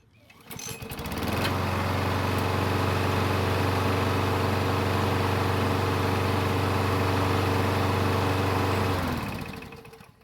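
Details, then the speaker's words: Craftsman push mower with Briggs engine and auto choke, after a basic carburetor service, restarted warm: catches right away, then runs smooth and even before shutting off; normal hot restart. "just as expected it started right back up with no real issues at all"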